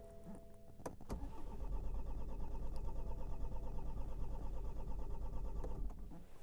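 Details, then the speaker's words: BMW 116d diesel after an engine rebuild for a failed timing chain, cranks but won't start; starter churns steadily about three beats a second without firing. Scanner shows low fuel pressure; replacing the fuel rail sensor didn't fix it. "but now the car cranks doesn't start so let me show you exactly what's going on"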